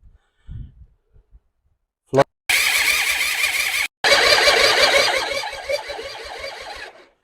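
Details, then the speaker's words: Suzuki Intruder motorcycle restoration, long-neglected, cranks well with spark, compression unknown, petrol squirted into each cylinder: catches with a rough uneven patter, runs a couple of seconds, cuts out; owner suspects the carburetor, to be pulled and cleaned. "So, it started for a few seconds the first time."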